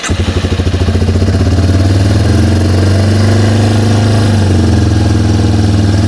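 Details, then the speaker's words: Yamaha TW200 single-cylinder with a vacuum leak at the carb-to-cylinder-head boot, choke pulled: runs a little better but settles into a raised, steady idle around three and a half pulses a second; high idle from the vacuum leak. "it allows it to run a little bit better, however the RPMs raise."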